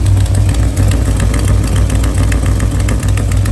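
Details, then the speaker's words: LS3 V8 swapped into an FRS drift car, idling low after header runners were rebuilt; lumpy idle with loose, uneven puffing tick over the rumble, exhaust leak suspected at the header exhaust gasket. "All right, so I'm sure you guys have heard the bad exhaust leak whenever I was messing with the power steering."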